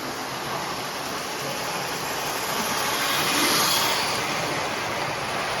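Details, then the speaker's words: Lionel O-scale steam locomotive after cleaning dried grease sludge and re-lubricating the bearing plate: smooth, even electric whir with light steady clicking of the running gear, no binding or grinding; runs much quieter, faster and smoother. "I think I've solved my problem the engine runs much quieter and it runs much faster and smoother"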